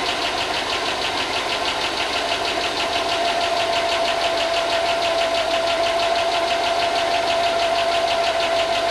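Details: 5.3 LS Chevy V8 in Tahoe donor, first run after long sitting and fixing corroded grounds, good oil: fast light ticking about three per second over steady idle; owner thinks lifters not yet pumped up.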